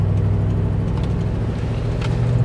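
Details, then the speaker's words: Toyota Sequoia V8 after a new timing belt, water pump and radiator, timing set, no vacuum leaks. Low, steady idle with an uneven lumpy beat, like running on 7 cylinders; misfiring with a fault code, suspected cylinder 1 after its coil pack was unplugged. "I think it's just totally misfiring. Even like right now, it does not feel right. Yeah. It kind of just sounds like it's running on 7 cylinders."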